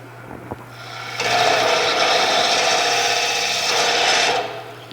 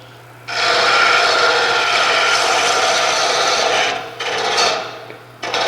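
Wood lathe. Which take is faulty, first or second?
first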